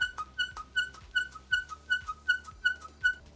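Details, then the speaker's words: DIY servo-driven diaphragm pump, Arduino/ESP8266-controlled, with larger TPU diaphragm, housing and one-way check valves, running dry; regular reedy clown-horn honks about two and a half per second, working normally, no priming needed. "Another advantage of diaphragm pumps is that they can run dry, and ours at least sounds like a clown"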